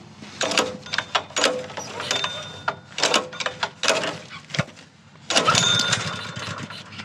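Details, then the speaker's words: Honda GX160 plate compactor that sat outside for five years, on its first start attempt after refuelling: several pull-cord cranks with rattling and one brief near-catch that dies out, hard starting and failing to start. "Oh, almost."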